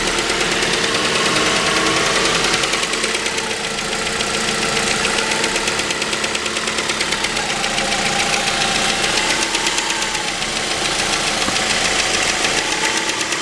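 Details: 2006 Mazda 3 BK 2.0 (LF engine), 150,000 km, at idle: fast, fine ticking over a hissy, even idle, something chattering in the engine; cause not identified.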